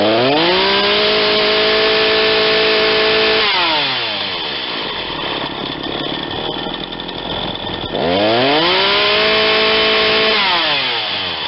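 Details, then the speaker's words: Ryobi 40cc chainsaw with 20-inch bar, warm after a hot restart, revved twice to a clean high scream and dropping back to a smooth idle; carburetor a hair lean on the high side but left as is. "i'm gonna leave that carburetor right where it is it seems happy it's just a hair lean on the high side but it comes back to idle real nice"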